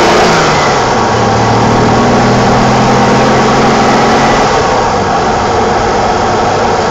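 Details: 1987 BMW E28 520i, M20 2.0-litre inline-six (129 PS), nearly 400,000 km, now running excellently; recorded on a phone with good low-frequency microphone; smooth hum rises in pitch under throttle then eases back, no knocks or rattles; normal running.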